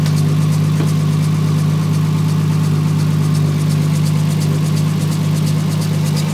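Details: Toyota 2JZ-GTE idling with the drive belt removed so no accessories run; fast fairly even tick or whir about twice a second over the engine hum, from the timing belt assembly; cause unknown.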